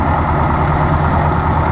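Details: Ford 600 tractor first start in 20 years, started fairly easily: loud, steady low rumble with even beat, no knocks or misses; no smoke, oil pressure good, not charging; normal idle.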